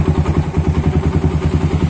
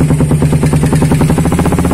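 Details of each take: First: Suzuki Satria FU with a WRX exhaust after its glasswool packing was replaced: a deep, even thumping beat at a quick steady idle that lifts slightly at the end. A clean, healthy exhaust note. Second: Suzuki Satria FU with a WRX K3 exhaust, before the glasswool packing is replaced after about eight months of use: fast, sharp, raspy popping at a brisk idle with a tinny edge. Worn, burnt-out silencer packing gives the raspy exhaust.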